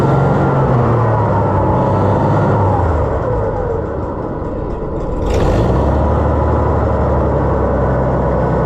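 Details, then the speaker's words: Oliver 1650 tractor engine after governor replacement: fast high-pitched running that dips briefly then climbs back; overspeeding because the new governor needs adjusting. "Let's see here. Was it rev up too much? Yeah, it needs to be adjusted where"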